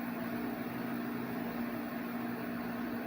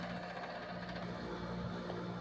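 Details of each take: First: 8000 BTU window air conditioner with Sanyo compressor starting up: smooth steady hum, constant mid-pitched tone, quiet airflow, no rattles or knocking; compressor running healthy. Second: Another 7500 BTU window air conditioner beside a GE Slumberline: steady low buzz with a rattling edge, even vibration; cause unknown.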